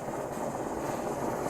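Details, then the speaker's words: MSR XGK EX white-gas expedition stove preheating at low fuel setting after lighting, before fuel is turned up: soft, even roar without sputtering or flare-ups; normal burner operation. "Now the key is to let this thing burn a bit before you crank the fuel all the way up, because otherwise it'll keep flaming up. So you really want the fuel hot."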